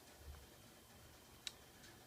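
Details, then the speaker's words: AFCO natural-gas gravity-feed furnace (apparently 1948–1953, no fan) in basement after reaching temperature and shutting off: quiet room with a faint sharp tick as the heat exchanger cools; normal expansion ticking. "When it hits temp, it just kicks off and the heat exchanger ticks a little bit like it's doing now, but that's it."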